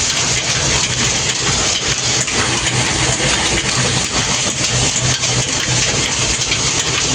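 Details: Flour mill (atta chakki) motor running after starter/contactor repair and final connection, with starter copper contacts aligned: loud, steady roar with an even, unbroken hum, no knocks or surging; motor runs normally.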